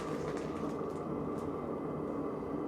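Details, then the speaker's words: Workshop heater newly installed, heard from outside: steady, even combustion roar with a faint regular pump ticking underneath, no misfire or surging; pump louder than the slim one, normal running. "That's great. I'm happy. The pump sound is much higher than the slim one. The slim one you can almost not hear it, but so who cares?"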